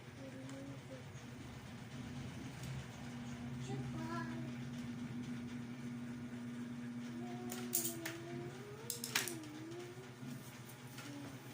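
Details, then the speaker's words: Ceiling fan that had suddenly stopped, running after repair: broken clip replaced with a paper clip, greased and oiled. Steady low hum with a faint, even motor whir and no scraping or knocking. Running smoothly. "oh andar na guys Ang ganda ng andar Oh okay na guys okay"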